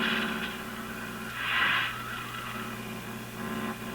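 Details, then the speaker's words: Brand and Millen DR-102U tube radio after final alignment, tuned to about 600 on the AM band: steady hiss, low hum and wavering crackly swells of heavy static noise, to be overpowered with a signal generator; static noise on AM reception, cause suspected, not confirmed. "600 I think that's right on 600 there unfortunately there's quite a bit of noise but uh we can probably overpower it with the signal generator"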